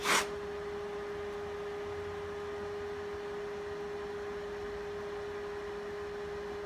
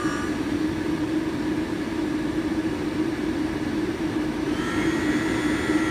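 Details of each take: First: HPEVS AC-35 induction motor on a DIY Hübner inverter, bench test at 24 volts with no load, after an unexplained encoder warning: a drive hum, then a surging whine rising and falling for about three seconds before cutting out; it starts differently and won't run properly. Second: HPEVS AC-35 induction motor on a DIY Hübner inverter, on the bench at 24 volts with no load and strapped to the table: a smooth, steady electric hum at high rpm, apparently in field weakening mode, no rough spots.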